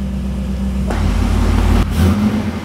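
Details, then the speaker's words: 2009 Corvette C6 convertible V8, one owner, low mileage, just started after fitting the fuel pump; steady idle with clean revs up and down, quiet, no lifter ticking; sounds healthy, condensation smoke only. "oh man that motor is [Music] nice and quiet no lift noise no run I don't want to rev it too much but it sounds really good"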